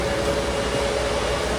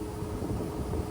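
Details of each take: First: Fog Hashing C6 dry cooler, modified with resistors to stop odd fan noises at start-up: a single fan runs at about 10–20% speed, drawing roughly 25–26 W at 228 V; a soft, even airy hum with no rattle or pulsing, normal and quiet. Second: Fog Hashing C6 dry air cooler (pre-May batch, no AC/FC mode): fan kicks in when the coolant warms, every 30 seconds to a minute, with a steady low roar and a sharp rising surge, far too loud; fan start-up surge noise.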